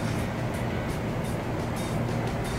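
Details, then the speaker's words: Toyota SW4 (2016-on) power tailgate strut, bench-run: a low motor drone with rough grinding pulses about three a second as it creeps slowly. It is noisy from the worn spindle and spring mechanism inside the strut. "agora vocês imaginam todo aquele mecanismo que eu apresentei PR vocês agora aquele fuso aquela mola movimentando aí dentro vai lá de novo e barulhento tá vendo"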